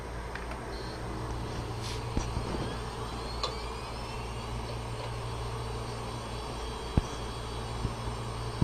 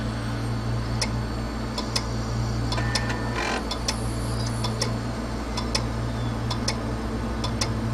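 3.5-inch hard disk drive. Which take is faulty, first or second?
second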